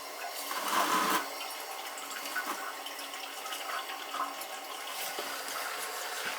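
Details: Mansfield toilet: a constant hiss of water trickles into the tank and never shuts off. The toilet keeps running because of a bad fill valve; the fix is replacing the fill valve.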